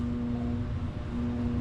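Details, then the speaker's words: Ice Air PTAC unit tripping its breaker: steady low electrical hum with no running rhythm, the compressor stuck on locked rotor at about 40 amps for too long before it finally starts. Intermittent locked rotor. "Still freaking running. Oh, and it came off lock rotor. That's still on lock rotor for way too long, though."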